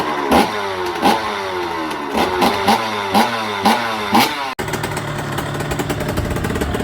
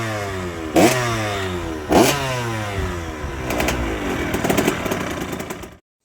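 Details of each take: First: 2005 KTM SX85 two-stroke, just after a full engine rebuild, kick-started on choke with throttle blips. At fast idle there are sharp, crackly puffs between firings from a leaking exhaust gasket, so it wasn't sounding right before the gasket was replaced. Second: 2005 KTM SX85 two-stroke after a full rebuild and an exhaust gasket replacement for an earlier problem. Two crisp throttle blips, then a sustained higher rev with no hiss or popping; it sounds much better.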